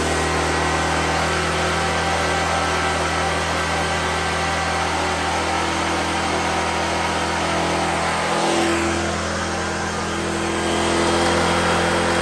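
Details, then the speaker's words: 2014 Black Max generator (97 hours, carb work after running issue), cold weather, running a grinder: steady drone dipping briefly as load comes on, then recovering smoothly; runs healthy. "It does run that grinder without an issue. So that means it'll run a coffee pot without an issue."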